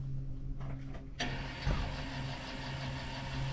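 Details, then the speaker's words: 2006 GMC Sierra LBZ Duramax diesel, first start after installing AirDog II 5G 165 gph lift pump, camera beside pump: quick catch after short crank, then steady quiet even idle, no misses. "oh wow that's nice and [Music] quiet so uh Bren was saying to me that all you actually have to do is just let it sit for a minute or two just running that pump"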